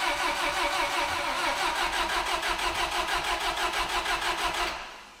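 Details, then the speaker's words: Terex crane engine running on propane after new spark plugs and wires: uneven loping pulse about three times a second at idle, then dies; runs fine off idle, owner suspects a propane injection issue. Rough running, cause not confirmed. "seems like we still have a propane injection issue really doesn't seem to run any different than it did"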